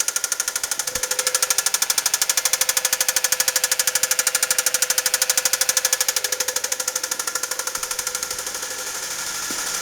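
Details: Used 2.3 engine in a 2004 Mazda 3 running with a fast, hard, steady rhythmic metallic rod knock from a spun number one rod bearing.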